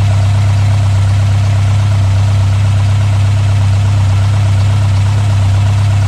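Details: Mk1 Ford Escort Pinto engine, Weber 40 DCOE carbs replaced by Jenvey throttle bodies and MaxxECU Street, after first start, throttle balancing and base timing set: deep steady burble, no hunting or stumbling; settled idle.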